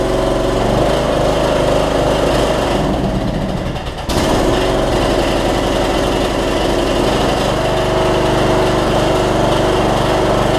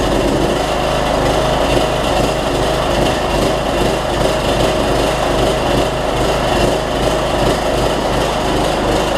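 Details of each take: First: Troy-Bilt Bronco MTD riding mower after transaxle fix (broken spring replaced), deck bracket welded, blades changed: single-cylinder engine runs evenly with brief dip as it pulls away, then settles; runs and drives normally. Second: Troy-Bilt Bronco 42-inch, 18.5 hp riding mower after a broken transaxle spring was replaced and it drives again: engine chugs unevenly at steady throttle with a loping beat; runs rough, owner considers cleaning the carburetor or drilling out the low-side jet.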